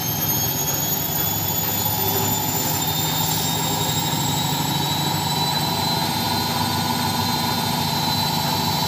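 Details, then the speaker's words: Front-load washing machine at maximum spin speed with a load, after fixing a loose top counterweight that had shifted back: steady high-speed whoosh with no thumping or banging; the earlier heavy vibration and loud noise are gone. "Hai ini kecepatan maksimal Alhamdulillah sudah sudah tidak Berisik lagi ya tidak mengganggu tetangga lagi hehehe"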